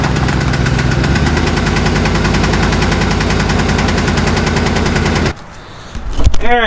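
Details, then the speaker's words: Truck that runs without miss, oil pressure fine: steady light tapping about four per second following engine speed, from one side; owner suspects hydraulic lifters/lash followers, not confirmed; top-end ticking. "that's a hell of a knock on truck runs perfectly doesn't have a miss oil pressure perfect sounds like it's coming from this side and as a lifter"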